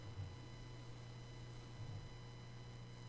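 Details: Blue Yeti USB microphone recording in Audacity: a faint constant low buzz with thin, steady high-pitched whines, the interference known as "frying mosquitoes", heard even during silence. Cause not confirmed.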